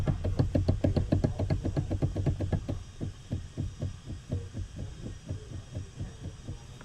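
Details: Steering wheel knocking on a car with electronic power steering: a steady low knock, roughly three to four per second, slowly fading in strength. Worn universal (cross) joint on the steering intermediate shaft.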